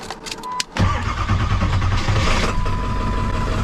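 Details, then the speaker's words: Tow truck diesel bought at auction, after installing a new starter, cold weather, PTO in gear: a few short cranking bursts, then it catches within a second and settles into a steady, even run; normal start. "PTO's in gear. There we go. Running. That's a good sign."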